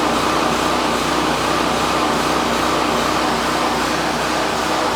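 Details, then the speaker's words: Champion 4000 generator after carburetor replacement (a new carburetor fixed the earlier no-run fault): started on choke, a little choppy at first, then a steady, even drone with no misses or knocks; fuel valve closed so it dies from fuel starvation. Normal running. "so at this point we're just going to let it die from fuel starvation but that's it a running generator $18 carburator from Amazon"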